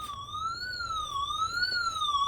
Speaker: starts beeping automatically. Tells you that there's some water leakage.